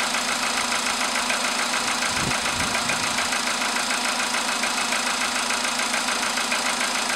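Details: VW Polo sedan with a CFN engine, cold start in the morning after sitting overnight at about 10°C outside: sharp, steady metallic ticking about 3.5 times a second over the idle; engine knock of unknown origin.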